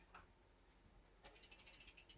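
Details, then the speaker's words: Bicycle wheel with newly built Hope hub, spokes just laced, belt drive: quick run of sharp bright clicks about ten a second from spokes settling; later clicking gone, attributed to new-wheel wear-in. "I can hear the clicking of the spokes"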